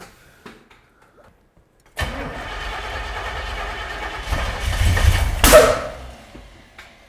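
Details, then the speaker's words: Freshly installed ~600 hp big-block Chevy in a C10 squarebody, cranking on an old starter: uneven lumpy cranking swells into a loud pop, flames and rough stumble; backfire from spark plug wires on cylinders 3 and 7 swapped. "Okay. Three and seven were switched. No big deal."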